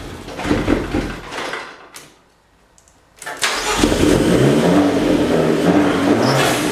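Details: Fiat 500 Abarth engine in a Fiat X1/9 test body, fed from a fuel cell, cranks unevenly, pauses, then catches and settles into a steady, slightly revved run, its first start after earlier attempts failed to fire.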